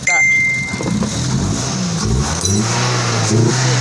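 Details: Toyota Vios with hard starting and stalling, oil found missing, after repair and cleaning of the computer box (ECU): the engine catches right away and revs smoothly with a steady low drone and no stumble; normal revving after repair.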